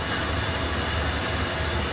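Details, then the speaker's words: Chevrolet pickup in for low-speed ABS activation, idling: rough, continuous grinding rasp over the idle under the hood, steady with engine speed; belt tensioner suspected. Grinding noise under hood. "okay so you can hear the horrible grinding noise under the hood of this thing"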